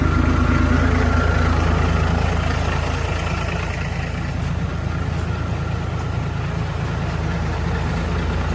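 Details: Diesel engine after fuel system cleaning and bleeding, possible injector damage suspected earlier for low power: steady, even low rumble at about three pulses a second with no misses; healthy idle, fuel now flowing freely.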